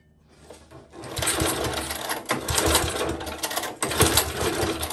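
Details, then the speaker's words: Old Tecumseh four-stroke edger engine, known to have spark, catches after a second and settles into a fast, busy, even rattle at full throttle; healthy normal run. "there we go good it runs"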